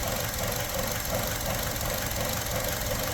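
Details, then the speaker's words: 2017 Buick Encore with check engine light and surging; rough, stumbling idle with hissing, suspected vacuum leak, possibly from the PCV system built into the valve cover; spray briefly cleared it. "now one thing these things are notorious for the PCV system creating internal vacuum leaks PCV is actually the valve cover itself but I swear I hear a vacuum leak"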